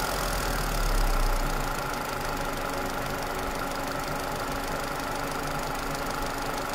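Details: Toyota Celica with 2ZZ engine: steady idle with a faint, regular light tapping at roughly engine speed; knock present, cause unclear.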